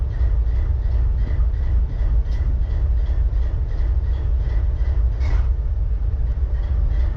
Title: BNSF 4583 IDLING WITH MISFIRE